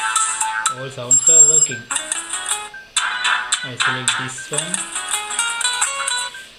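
A loud, clear melodic ringtone plays cleanly at full volume without crackle or dropouts; the phone speaker is working fine.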